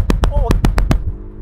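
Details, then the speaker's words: Polestar 1 hybrid (2.0 supercharged, 609 hp) brake-boosted launch: quick run of sharp tyre chirps about seven a second, then smooths out as the front wheels skip and hop; timed at 4.4 s. "Oh, the front wheels skip. And again, it's weird."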